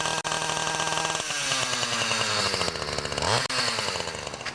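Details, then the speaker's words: Ryobi 31cc two-stroke cultivator after L carb screw turned out about 1/8–1/4 turn and new Champion RDJ7Y plug fitted: sharp, buzzy revs rise and settle smoothly with even firing and no bog; normal running. "So once you know you've adjusted the carb and it's running right, put the screw caps back on just by pushing down."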